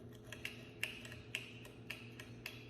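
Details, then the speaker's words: Newly replaced ceiling fan light pull-chain switch: crisp distinct clicks about every half second as the chain is pulled; the old faulty switch made only a sliding friction sound, no click. "The old one, it would not make that clicking noise. You would not hear it you'd just hear the friction sliding back and forth. So that's how I knew that it was not functioning properly."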